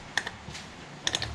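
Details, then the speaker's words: Mazda 3 second-generation intake manifold runner control solenoid (P2004/P2009), new part bench-tested with 12 volts: crisp internal clicks in two short bursts each time power is applied, so the solenoid functions. The old unit gave no internal clicking. "when you give it 12 volts, you can tell the internal is clicking. That means the solenoid is functioning."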